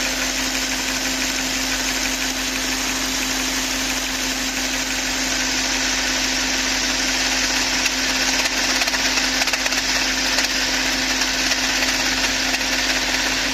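Steady idle with a constant low hum under a busy, irregular metallic rattle; a tapping noise of unknown origin, possibly valvetrain.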